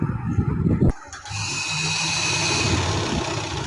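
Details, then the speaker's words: Sewing machine after cleaning and oiling its holes: after a few handling clunks, even light whirr holds steady with no knocking or dragging; much quieter than before, when it was loud and ran heavy. "ये देखिए machine की आवाज़ अभी से बिल्कुल साफ़ सुथरी, और देखें कितनी इसकी आवाज़ कम आ रही है। पहले इसकी बहुत ज़्यादा आती थी और ये चलने में भी बहुत मुश्किल हो रही थी इसकी।"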